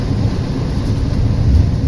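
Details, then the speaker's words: 80% efficiency furnace: heavy, loud low rumble with a constant shaking drone; the inducer motor wheel is badly out of balance, fixed by installing a new inducer motor. "all right guys yesterday I had a call where a guy said that the furnace is making a hell of a racket and so I went by there apparently the inducer motor is an eighty-percent furnace the inducer motor wiill is way out of balance"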